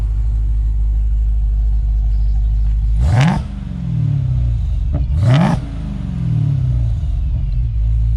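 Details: Chrysler 300 with Hellcat engine conversion on a weak, discharging battery, viewed from the rear: deep, even V8 idle with two clean throttle blips that rise and settle smoothly; healthy engine revving freely.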